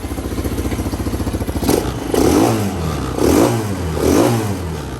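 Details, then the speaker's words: GY6 150cc Chinese scooter-type engine: even idle then clean strong revs with no bog; sounds healthy. "what happens if we dog it nice no bog sounds pretty good number two boys"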